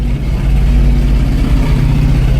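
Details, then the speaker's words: 1978 Ford F-600 V8, hot-wired cold start at -22°F: a deep, low, even rumble holding steady with no knocks, ticks or stumbles; the engine idles smoothly, purring like a kitten. "Look how old just pur like a kitten, eh?"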